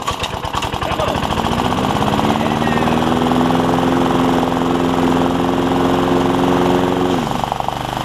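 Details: Honda HR194 push mower after ignition coil replacement and freeing throttle linkages: engine catches within a second at mid throttle, settles into steady even beat, easing off near the end; normal running.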